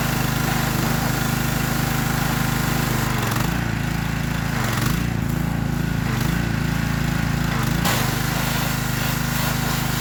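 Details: Troy-Bilt pressure washer, free unit being revived, first start attempt with a little throttle: steady, even small-engine drone at one speed with no knocks or misses, normal running.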